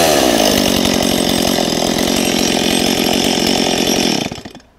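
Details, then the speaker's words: Stihl MS 180 chainsaw after choke start with chain brake off: steady high-revving two-stroke buzz holds even and smooth for four seconds before being switched off; runs healthy. "Apabila dia dah hidup, maksudnya dia dalam keadaan yang baik."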